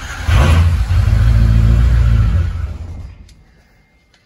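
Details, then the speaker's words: 6.0 Powerstroke diesel, high-pressure oil system air test after IPR work: deep churning crank about four beats a second for two seconds, never catching; ICP must reach 500, likely delayed by air in high-pressure oil system. "this has got to hit 500 to start and this is probably going to be because there's a whole lot of air in the system"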